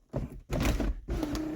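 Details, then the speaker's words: 1989 Lincoln Town Car Signature Series moonroof closing: three low, dull grinding bursts that grow heavy and strained near the end of travel, as the roof drags on its return. "see that where the how the moon roof gets real draggy right there at the end and it makes that noise coming"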